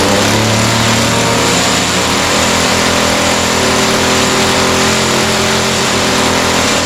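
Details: Echo SRM-210 straight-shaft line trimmer after repair kit (new carburetor, primer bulb, fuel lines, air filter), started on half choke, slight carb adjustment: steady, even high-pitched buzz holding speed without surging or dropouts; normal running.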